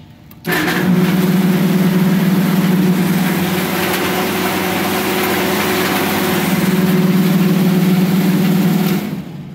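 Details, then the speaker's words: Refrigeration condenser fan motor starting with a loud, rough droning hum from dry, failing bearings, also drawing higher amperage. "As you can tell, that one's not only noisy because the bearings are going out of it, but it's also pulling higher amperage because of it."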